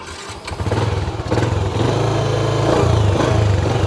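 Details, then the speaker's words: Restored 2007 Yamaha Jupiter MX, electric start after replacing the weak battery with a dry battery: catches within half a second and settles into a steady, even idle; smooth running with no more exhaust smoke; normal engine start. "Ini mesinnya halus banget guys, bener-bener kayak keluar baru dari pabrik. Tarikannya juga mantep, berasa."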